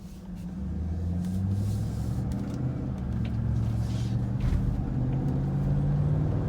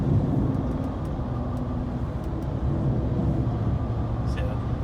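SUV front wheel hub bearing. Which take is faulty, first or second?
second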